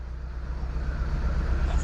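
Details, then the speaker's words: 2006 Mitsubishi Lancer with waste spark ignition, hard start then rough idle: uneven, lumpy low rumble from a random misfire; customer also reports loss of power and poor acceleration. "saw the vehicle give me like a hard start thing and then it's finally start and you got a rough vle okay so it's a miss it should be simple right"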